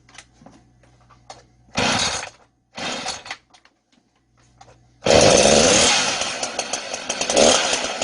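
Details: Two-stroke chainsaw started with the choke closed, then the choke opened and restarted: a couple of short pull bursts, then a steady, high, even buzzing run; normal running.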